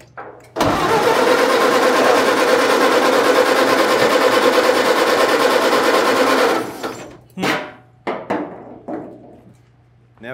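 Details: 1930 Ford Model A sedan, not run in unknown time, given ether, low compression suspected: steady starter churn for about six seconds with even beat but never catches; cranks without starting, compression to be checked.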